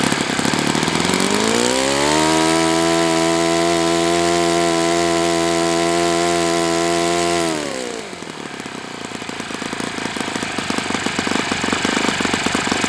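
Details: Enya 46-4C four-stroke model engine on a test stand, 11.5 prop, air bleed opened 1/4 turn: revs climb and hold a harsh, raspy scream, then drop to a rattling spin-down; owner suspects it needs new bearings.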